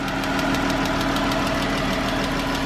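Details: 2013 Chrysler 300 3.6L V6, idling: quick, even ticking of about six or seven taps a second, loudest on the driver side, from a loose rocker arm.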